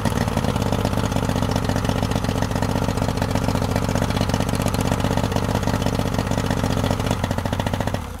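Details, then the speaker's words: 2003 Yamaha 90 HP two-stroke outboard with good spark, compression and clean carbs, idling lopsided with missing beats on two cylinders; won't rev past about 2,000–2,500 rpm; leaking fuel pump diaphragm floods cylinder 3, and a bad oil level sender triggers limp mode. "This is why the motor won't rev up past about two grand and sounds like it's running on two cylinders because the number three is getting flooded out."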